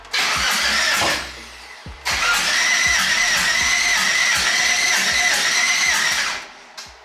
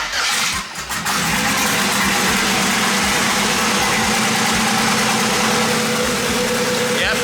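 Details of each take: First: Twin-turbo LS-swapped Mustang after a BTR stage 4 cam install (274/280 duration), with the fuel pump priming. Two cranking bursts with a steady starter whirr and even compression pulses but no firing: crank no start from cam timing off a good amount. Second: LS V8, twin-turbo swapped Mustang, recorded on the stock cam before a BTR stage 4 cam install: steady, even idle with a deep smooth burble and no ticks or knocks; healthy engine.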